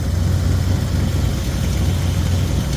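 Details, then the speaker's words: 1972 Chevy C20 V8, long-stored truck with a primary misfire and suspected valve hanging issues: low even rumble at steady idle with no obvious stumbles or skips; smoothest it has run so far. "that's the smoothest she's run since she's been with me."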